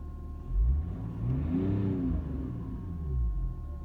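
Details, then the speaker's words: Messmer in-line fuel pump, new, replacement: with the engine running and revving, a thin, steady, high hum holds its pitch underneath and is also heard inside the cabin, the fuel pump whining. "Вот так он, короче, гудит. Заведенный тоже слышно в салоне."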